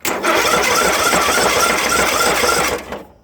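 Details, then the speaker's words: John Deere 1023 (maybe 2005) tractor, single-cylinder Briggs 500cc engine, on a new 300 CCA battery: it fires roughly with a harsh clattering, rumbling beat on starting, then dies. "he said he had it running and then it made that sound and then it stopped running"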